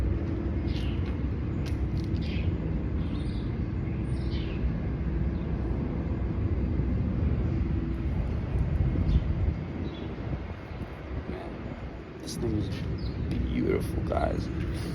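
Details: 1995 Lexus SC400 V8, stock 250 hp: low, smooth, even idle rumble with no knocks or misses, birds and outdoor air around; healthy engine.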